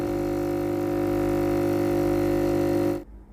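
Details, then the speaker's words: Philips GC9550 steam iron after replacing the boiler thermal fuse (no steam, boiler not heating): steady buzzing drone with low hum then clean cutoff, water pump normally pumping from tank to boiler. "La pompe à eau peut pomper l'eau du réservoir d'eau vers la chaudière."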